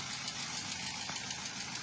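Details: Toyota Avanza K3 petrol engine, recently rebuilt, idling; light, quick ticking over the idle from improper (excessive) valve clearance. Planned fix is valve adjustment and valve seal replacement; water pump also leaking.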